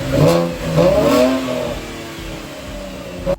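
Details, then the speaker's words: V6 Camaro before fitting a $200 eBay muffler delete, stock exhaust: engine catches, rises to a smooth rev and settles to an even idle; mellow, quiet stock exhaust with nothing amiss. "That sounds like a completely stock V6 Camaro."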